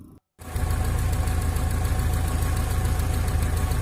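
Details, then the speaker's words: Car with the engine under the seat, started after installing the battery and checking ignition: short silence, then the engine catches and settles into a steady, low, even idle with no knocks or misses; normal idle. "ya, alhamdulillah sudah nyala dan bisa hidup mesinnya ya."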